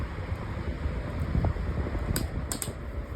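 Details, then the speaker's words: Lasko 18-inch oscillating table fan with a new replacement blade, on high then medium speed: steady low airy whoosh, faint motor hum, a few light clicks; runs evenly and sounds healthy. "This is medium. Still blowing a pretty good breeze. It's not too much."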